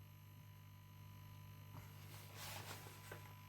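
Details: 1950s Masco ME27 tube amp on the bench, 5V4 rectifier just fitted, coming up to voltage: faint constant mains-pitch hum under light handling clicks; transformer buzzing, suspected from the filament winding, cause unconfirmed.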